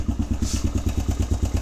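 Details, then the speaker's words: Suzuki DRZ125 single at cold idle after resetting the cam chain tensioner: even thumping about seven beats a second, clear exhaust pulses, no top-end rattle; much quieter than before the adjustment. "dude that's way quieter holy crap you can actually hear the exhaust now"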